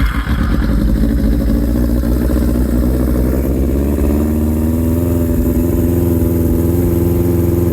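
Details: Suzuki Katana, just-finished build, start-up after opening the fuel tap: catches and settles into a steady, even idle with a smooth firing beat and no knocks; normal start and idle.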